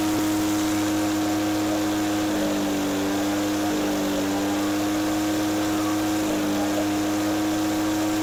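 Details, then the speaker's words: Echo PB413H two-stroke backpack blower on a new aftermarket Chinese carburetor with limited high-speed adjustment; steady high-speed drone with a burbling wobble instead of a clean scream; four-stroking, a touch rich, set deliberately rich rather than lean. "I want the high speed just off the four-stroke, so it's right at that verge, because you don't want it to be lean. You'd rather have it on the rich side. When it's burbling in four-stroke, that means it's a little bit rich,"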